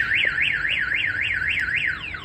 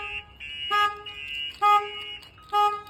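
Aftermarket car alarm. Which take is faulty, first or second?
first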